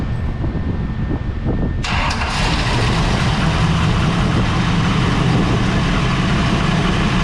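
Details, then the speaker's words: 1973 Toyota Land Cruiser FJ40 with Chevy 305 V8, started after new headers and a welded Y-pipe exhaust were fitted: cranks, fires within two seconds and settles into a steady, even low rumble at idle. "all right we got an exhaust let's try firing this thing up should be pretty quiet"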